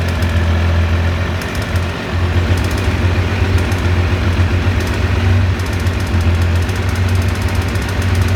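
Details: Triumph T595 Daytona engine: deep steady idle rumble with scattered sharp ticks on top; unexplained engine noise, cause unknown.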